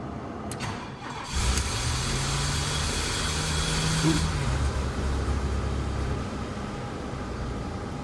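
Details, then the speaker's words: BMW E30 petrol engine starting, with rough idle and suspected misfire, before fitting new distributor, wires and spark plugs: cranks and catches with a brief whirring grind as the starter sticks engaged after firing. "was a starter sticking i'm just going to pretend that i didn't hear that but right now it's running a little rough"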